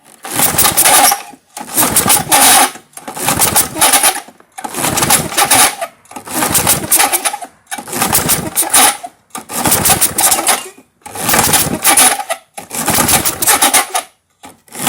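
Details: 1978 Craftsman-branded Tecumseh LAV50 small engine, choked by hand because choke linkage was disconnected: nine raspy pull-starts of about a second and a half, never catching, old gas smell; no-start.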